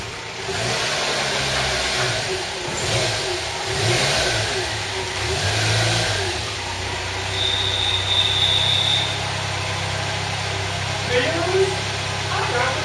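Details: Renault Super 5 SL restarted after about 16–17 years off the road (since 2004), much of it sitting in grass and water: a few throttle blips rising and falling, then a steady, even idle without stumbling; runs fine.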